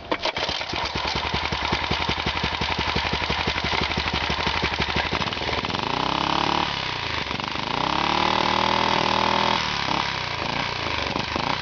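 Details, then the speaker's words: Rebuilt Honda 2.5 hp single-cylinder engine with custom muffler, for a go-kart, just started and not yet warm: fast even idle patter, then two clean revs rising and falling smoothly; running healthy. "It needs to warm up. But it does rev pretty"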